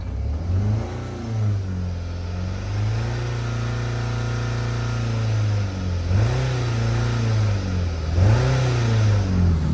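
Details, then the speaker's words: 2010 Ford Focus 2.0, warm after 40 minutes running and a 10-mile drive: lumpy low-rpm running that smooths at high rpm. The plugged catalytic converter glowed orange; there are no misfire codes and compression passed. "what this is is a exhaust restriction see it it seems to go away at high RPM because you're forcing air through it"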